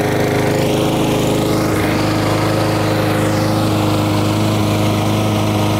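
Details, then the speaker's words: Lawn mower after carburetor jet enlarged to cure surging: engine holds one even speed with a steady drone, no hunting; much better. "so as you see there that's much much better you don't have to listen to that very annoying noise"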